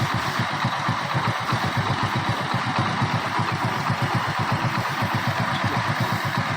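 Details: Hero Splendor Pro single-cylinder after tightening a loose outer cover that had made a "khatar khatar" rattle mistaken for a loose magneto or head bolt: steady, even idle putter of about four beats a second with no tapping; normal idle.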